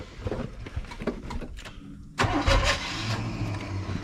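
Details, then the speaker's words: 1980/81 Chevy truck that sat 29–31 years, cranked with the number one plug out: uneven, labouring cranking with a brief surge and no start; the starter sounds worse, and a sticking valve, loose rocker or jumped timing chain is suspected. "boy that starter sounding worse and worse nah she ain't running there"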